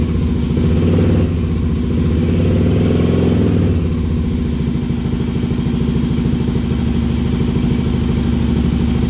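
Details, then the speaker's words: Kawasaki KLR 650 after fixing wiring that gave constant power with key off: steady, even single-cylinder thump at fast idle, healthy, but only runs on choke; jetting needed after a 1,000 ft altitude change. "All right, it runs. Only runs with the choke, so obviously we gotta do some jetting because I went up 1,000 feet, but here you go. It's healthy."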